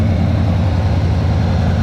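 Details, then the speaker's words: Shop truck with a swapped-in carbureted 350 V8, at 180 degrees after about 10 minutes of idling, with the carburetor idle turned down slightly; a smooth, quiet, even low rumble with no ticks or knocks; normal idle. "see idle's really quiet so i haven't messed with this carburetor really turn the idle down a little bit good"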